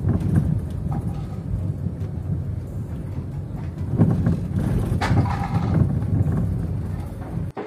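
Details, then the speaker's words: Suzuki Ertiga front suspension after shock absorber replacement: dull irregular clunks over heavy road rumble on bumps, louder than before, caused by worn front stabilizer links and stabilizer bushings, which are then replaced. "pemeriksaan ternyata yang bermasalah itu bukan cuma shocknya tapi link stabilizer nya sama karet bushing nya"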